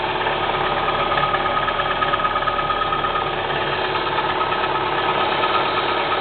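Cold idle with a steady light knock, roughly three per second, riding over the engine note; cause not yet pinned down.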